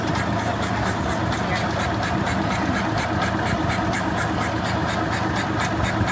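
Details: Isetta single-cylinder engine, revival with fuel, air and spark confirmed, possibly over-choked/flooded: steady cranking about three to four pulses a second for several seconds, never catching; crank no start, cause unconfirmed.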